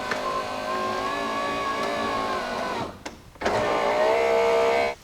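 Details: 2001 Jeep Cherokee XJ passenger-side power window after regulator replacement: steady motor whir runs a few seconds, pauses, then runs again with even tone; window regulator works normally.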